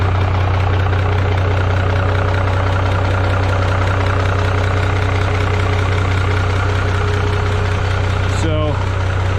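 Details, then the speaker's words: Minneapolis-Moline G950 propane tractor idling cold after manifold leak fix with doubled gaskets and RTV, valve covers back on; Stanley muffler slightly louder than deeper new-old-stock one; even, firm low thrum, no ticking or exhaust puffing; normal idle. "but I would say that the New Old Stock has a deeper sound to it it's just more solid I don't even know how to describe it the Stanley is not bad though but it it's just slightly louder"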